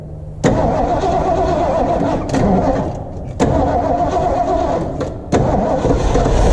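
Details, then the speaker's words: 1977 Ford F-250 4x4 with 351 Cleveland V8, first start after revival, fed from a temporary gas tank with old fuel: fires with throttle blips and dips, then settles into a steady run, some smoke. "it's good to hear it run of course there's going to be some smoke and some stuff but it's at least running which is more than i can say for it when i got it"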